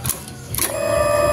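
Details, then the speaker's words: Old Honda Vario 150 that quit with no ignition spark: at key on, the MIL does not blink and the fuel pump gives a short click then a steady priming hum. The starter still cranks. "tidak ada kedipan mil dan full PAM ini masih dengung ya"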